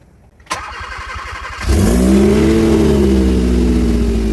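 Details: Hyundai Veloster after water pump O-ring replacement, running on used oil, middle motor mount missing: starter whirs briefly, engine catches into a loud, raspy idle; loud exhaust because the muffler is loose and not yet secured.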